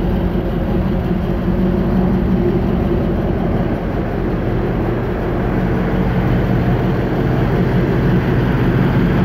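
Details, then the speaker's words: 1966 Chevy Nova wagon, 327 small block with a small cam, headers, TH350 automatic and Ford 9-inch rear, idling while sitting still: steady, even low burble with no ticks or misses, smooth and healthy. "no ticks or nothing runs nice and smooth good little exhaust note but too overbearing but it sounds real nice when you're sitting still here"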